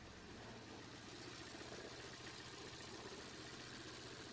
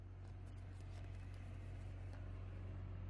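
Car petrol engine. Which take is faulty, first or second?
first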